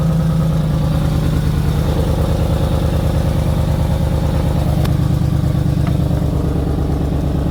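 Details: 2004 Ford Expedition 4.6L V8 that starts briefly then stalls: with the MAF sensor unplugged it holds a steady low idle with an even pulse and no stumbling, pointing to a faulty MAF sensor.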